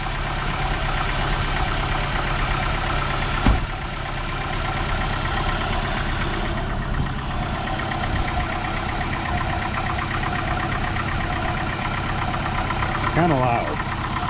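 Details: Old beater first car started after sitting: loud, steady, slightly rough low drone at idle with no clear fault rhythm; belt sounds worn, cause of loudness otherwise unknown.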